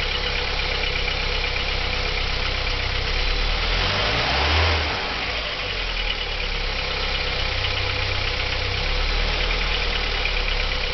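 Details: 1987 Audi 80 B3 with the 1.8 JN four-cylinder at idle: a dull tapping of about four per second over the run; an engine knock whose cause the owner is asking about.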